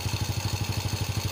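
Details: Honda Supra X motorcycle engine after replacing a broken cam chain tensioner, cam chain and oil: even, quick exhaust pulses at steady idle, no chain rattle, much smoother than before; normal idle.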